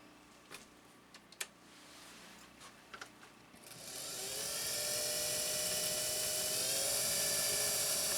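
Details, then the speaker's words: Singer sewing machine with clutch released, motor run alone: clicks, then clean steady high hum with no clunk; motor healthy, clankiness lies between balance wheel and needle bar. "We've got a motor that wants to give greatness. Can you hear it? Give it a listen again. This is a motor that wants to give greatness."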